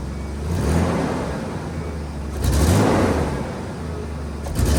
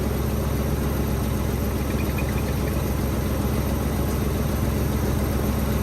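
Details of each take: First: Nissan Hardbody pickup bought at auction, sat for months, fresh oil change and 5 gallons of fresh gas added to old fuel; revs rise cleanly on gentle throttle but flutter when stabbed; owner suspects spark plugs, plug wires or old gas. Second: Nissan Hardbody pickup, odometer about 185,000, bought at auction and sat for months, started on fresh gas and a hot battery; steady, even idle with a smooth low beat, no knocks, misses or ticks; runs healthy.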